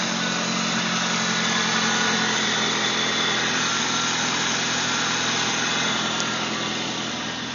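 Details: Saturn S-series (SW1) after the failing idler pulley bearing was replaced; it had caused a whine that got loud at higher rpm. Now a steady, even idle hum with no whine or chirp from the belt side. Normal idle.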